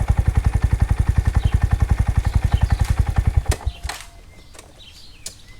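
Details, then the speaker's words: Honda Grom idling with a heavy, even knock about four times a second until shut off. Valve adjustment didn't fix it; owner suspects a loose cam chain, possibly bottom-end bearings. "yeah a knocking noise"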